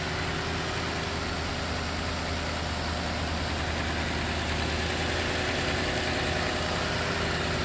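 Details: 2013 Toyota Land Cruiser 200 Series, 228,293 miles, likely 5.7 V8, 64°F, no warning lights: steady, even idle with a smooth low rumble and no knocks or ticks; healthy engine. Radiator and upper coolant hose appear replaced.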